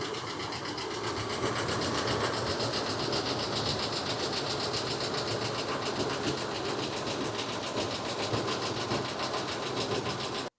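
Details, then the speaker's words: 2019 Ford F-59 commercial, 6.8 V10 gasoline, code P0304 cylinder 4 misfire, engine running and shaking heavily: harsh even knocking beat near 220 per minute throughout; cylinder 4 misfire, sounds like it's breaking apart. "ya escucharon verdad este el motor se oye pareciera que tuviera mucha chibola como decimos en Nicaragua pareciera que se estuviera quebrando"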